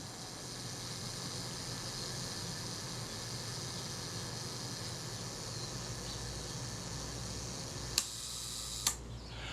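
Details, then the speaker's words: Kodak Retina IIIc camera after servicing a very stuck shutter: soft, even mechanical whirr runs steadily for about eight seconds, then two clean clicks; self-timer working properly. "but it's all good now self timer works you can hear that running down"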